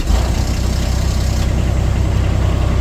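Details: Sky Jack scissor lift engine after a blown fuse that stopped it cranking was bypassed with a temporary wire; starter draws high amps: low, steady idle with an even pulse, no misses or knocks, running smoothly.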